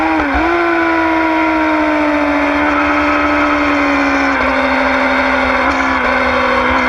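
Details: 2009 Yamaha R6: clear high-pitched whine over the engine, sliding in pitch as revs drop and rise; owner unsure if normal, source not pinned down.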